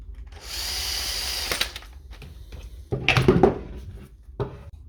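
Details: Shear Cordless Mk2 battery clipping shears after repairing a faulty switch with a cable tie and glue: a high, even motor buzz runs for about a second, then stops and gives way to clicks and handling. The motor runs normally.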